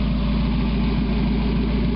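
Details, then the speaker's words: 1991 Mazda MX-5 Miata, parked about 5 months, idling with catalytic converter removed: steady idle with deep, throaty low rumble and no rattles; louder exhaust from the missing converter, engine seems smoother. "Sounds like crap. Definitely revs up a whole lot quicker though. I mean, the whole engine seems to be running smoother. But you remove all that back pressure from that catalytic converter and it's bound to help a little bit."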